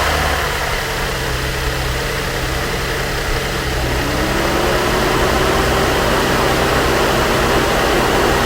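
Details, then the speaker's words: 2013 Chevy Equinox Copart rebuild, first start after battery post issue, crash sensors not yet fitted: engine catches and settles into steady even idle, smooth low hum, no knocks or misses; sounds good. "Guys, she sounds good. She sounds good."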